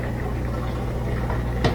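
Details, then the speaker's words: Miele washer after replacing a faulty drain pump (the old pump's impeller was poorly connected to the motor shaft; sand suspected), tested on fill and drain: steady low hum with water gurgling away fast and no rattle or grinding. The drain pump works normally. "and you can hear the drains active and it's getting rid of the water really fast so that did work"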